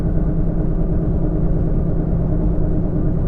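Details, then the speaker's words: 2011 Nissan Sentra cruising on the road: steady, low bass hum and rumble, even throughout, from a badly worn back-right wheel hub bearing, before the hub is replaced. "Lately in some of my videos you've been getting quite a lot of road noise coming from the back right wheel. This is because that wheel hub bearing has begun to wear out quite a lot, causing a ton of noise whenever I'm"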